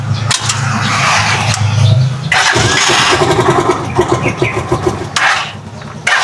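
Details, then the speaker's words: Rusi Chariot 175 on ordinary motor-shop oil: catches, then idles low and uneven with a sagging, stumbling beat, nearly stalling; owner attributes the difference to the oil, unconfirmed. "Yan, namamatay-matay. Mababa lang yung minor."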